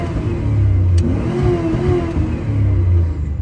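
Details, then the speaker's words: 1997 Dodge Ram 1500, 318 5.2L V8, which smoked heavily; plenum gasket already replaced, running Ultra 94 with some Seafoam. Revved, it gives a sharp single backfire pop, then a rough, uneven rev. "A little backfire action."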